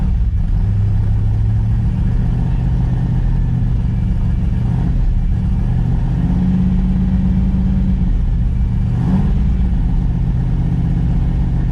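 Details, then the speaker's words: New Ford 351 Cleveland V8 in an XD ute during cam break-in: a raised, deep, steady burble around 2200 rpm with slight swells in speed, smooth and even while warming up. Temperature and oil good. "Oh, this sounds beautiful, guys. Sounds beautiful, that's perfect. Oh, you've got it spot on, bro. 2200 feet. You got that feel for it."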